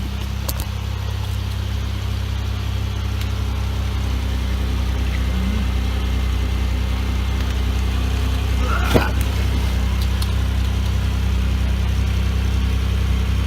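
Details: 2004 Chevy Impala 3400 V6, high mileage, idling on jack stands after fuel pump, fuel filter and fuel pressure regulator replacement: even steady low hum, no misses, knocks or hiss; no leaks, repair successful.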